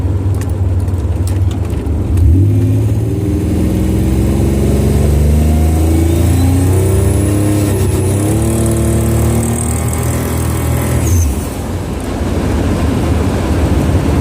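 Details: Buick Grand National under boost: engine pulls hard with a rising drone and hiss; owner suspects an exhaust leak under boost, unconfirmed.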